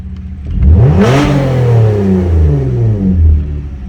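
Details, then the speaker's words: Dodge Journey now running fine, before alternator test: tapped throttle reaches 5,000 rpm, engine climbs smoothly from idle and drops back cleanly with no misses or knocks; normal revving, healthy throttle response. "yeah see that's normal sounding good again looking normal"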